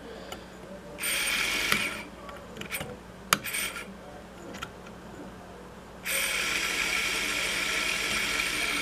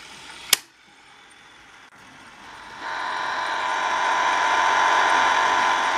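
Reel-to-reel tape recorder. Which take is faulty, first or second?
second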